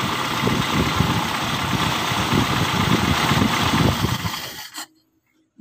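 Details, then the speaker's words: 1997 Toyota Kijang Grand 5K carburetted petrol engine, which had been stalling and refusing to start despite two carburettor replacements, now starts and settles into a steady, even low chugging idle with no misfire or knock while distributor (delco) timing is set with the engine running. "Nah kita menggeserkan nya pada saat posisi mesin hidup ya Jadi pada saat dia hidup kita lakukan untuk menggeser and pada-nya delco nya atau kita setel timing nya menggunakan ini ya"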